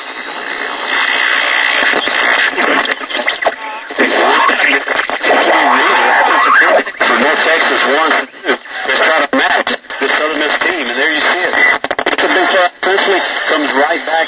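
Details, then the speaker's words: Silvertone tube portable radio, likely 1959 model year, with selenium rectifier, plugged in on a cheater cord for testing: thin midrange broadcast voices and music come through steadily with no hum or dropouts. Radio playing normally. "plugged in the cheater core for testing and you hear the result"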